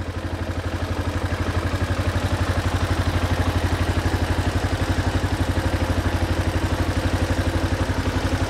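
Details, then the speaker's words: Yamaha Jupiter MX after a new tuning setup: an even, low single-cylinder putter at about four beats a second with no misses, judged smoother and lower than the previous setting. Normal idle. "Kalau suara mesinnya mendingan daripada yang tadi. Lebih halus atau gimana Om? Lebih halus."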